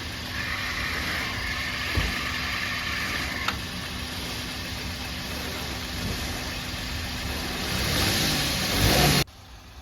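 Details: 2013 Maruti Alto 800 running at idle: a steady low rumble and hum, loudest inside the gearbox by stethoscope, that goes away when the clutch is pressed. Oil from a leaking input seal soaked the clutch; clutch assembly, release bearing, input and axle oil seals were replaced.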